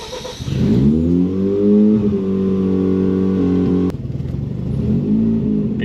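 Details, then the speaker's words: Car with no exhaust, air conditioning on: revs rise, then settle to a low idle that sags and stumbles, nearly stalling; idles high then tends to die at lower idle, stays running only with throttle blips. "you can hear it's idling high when it gets back to the lower idle it it tends to die just like just like that"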